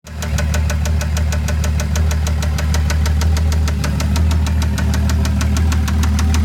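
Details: Toyota 7M-GTE at idle: crisp regular tick about three times a second over low hum, absent at first start, coming and going randomly; owner believes not rod knock. Engine ticking of unknown source.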